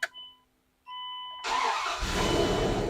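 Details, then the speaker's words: Dodge Dakota shop truck after replacing the fuel pump assembly for a failing fuel pressure regulator and refuelling: chime tones, quick crank, engine catches immediately and settles to steady idle; normal start. "Come on. Well, it runs. So, I must have done something right."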